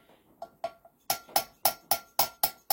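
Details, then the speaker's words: Renault R18 turbo four-cylinder cylinder head removed, a valve opening and closing: crisp, sharp taps about four per second as it snaps shut on its seat, a clean "tac tac" rather than a dull thud, suggesting the valve is straight and seats well. "ça s'ouvre ça se ferme ça c'est un bruit qui me plaît bien on est sur une soupape qui porte bien qui se pose bien sur son siège en un temps c'estàd qu'elle est pas tordue"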